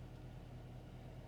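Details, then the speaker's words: 2015 Dodge Challenger with 24,000 miles, after a rough startup: smooth, even low rumble with steady hum and no knocks or misses; idling healthy. "oh this sounds great it's just the crappy Bodywork"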